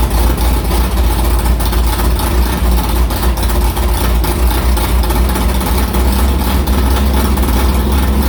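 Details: Carbureted V8 hot rod after the Prosystems carb's idle air bleeds went from .070 to .055 following a track carb issue, ~80°F day, started quickly; deep, lumpy, steady, even idle with no stumble or misses, a normal clean idle.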